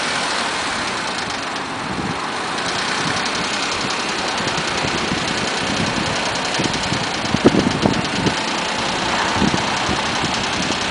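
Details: Mazda 6 petrol engine at 1000–1500 rpm makes a dry, tinny rattle with a few sharper knocks, noticed after removing clogged catalytic converters and fitting new MSDS headers.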